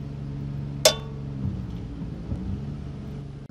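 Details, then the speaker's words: Diamond blade ring test on the saw: one sharp tap dies off at once with no lingering ring, over a low engine hum. The dull tone indicates a bad, damaged blade, in contrast to a good blade's ring. "So you can clearly understand the difference on the ring test between when it's a good blade and a bad blade. We're going to do it both ways. The first test is going to be with a bad blade."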